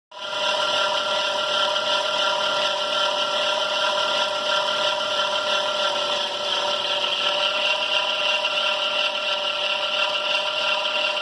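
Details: 2005 Dodge Caravan, engine running: constant high, hissing rasp from the accessory belt, unchanged after baby powder was applied; the belt rides shiny side out, rough side underneath, including on the cramped rear pulley.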